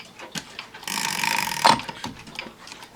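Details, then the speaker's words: One-day cuckoo clock (owl and grapes) with rack and snail striking, quieter than another clock. Brief soft whirr of gearing and ratcheting during the strike: a normal strike. "It's much quieter than the other one, which is loud. And of course, it uses whack and snail striking, so it's safe to turn back."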